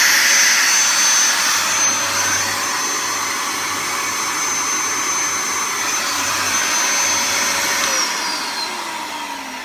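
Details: Henry vacuum cleaner switched on after a repair and reassembly: a smooth high-pitched motor whine holding a steady tone with no rattles or grinding, then a falling pitch as it switches off; judged to sound pretty decent and healthy.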